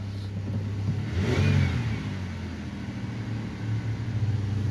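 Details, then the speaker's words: 2008 Pontiac Grand Prix 3.8L V6 revving after replacing the ignition control module, which fixed a misfire on cylinders 2 and 5 that new coil packs had not cured; revs rise and fall smoothly with no stumble, pop or hesitation. "fire it up see what we get all right no hesitation smooth as butter everything's running"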